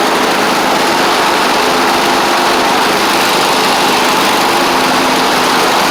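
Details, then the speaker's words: Troy-Bilt Mustang Z46 zero-turn after wiring repair, new ignition coils and tightened blades: steady buzzy drone at even speed, no misses or surges; runs normally once started, though it chokes on startup (owner suspects overly rich fuel pump). "But uh it will crank up run. As you can see, it runs fine once you get it cranked."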